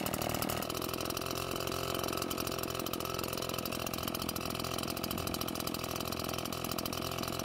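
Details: Almost-new Redmax EBZ8500 backpack blower, prone to flooding, running after drying out the flooded engine and using a modified starting procedure: busy, even two-stroke buzz holding steady without stumbling or dying; running cleanly.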